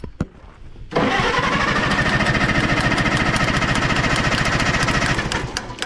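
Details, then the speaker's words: 1960 International tractor: starter cranks steadily with even compression beats but never catches after it ran briefly then died; choke tried, and the owner suspects no gas, possibly all leaked out. "I don't know if it's got gas in it. You should, Probably should check. because this one, must have all leaked out."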